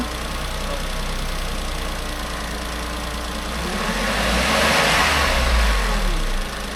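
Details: Renault Clio's rebuilt engine after it skipped timing, first start after the rebuild: it holds a steady, even idle, then revs up smoothly and drops back with no knock or misfire. It runs healthy.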